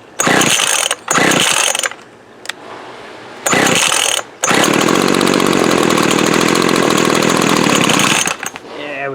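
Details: Older Craftsman 24cc 17-inch gas trimmer, thrift-store find with dried, shrunken fuel lines leaking gas: several short pull-start bursts, then it catches and holds a high buzzing run about four seconds; normal start.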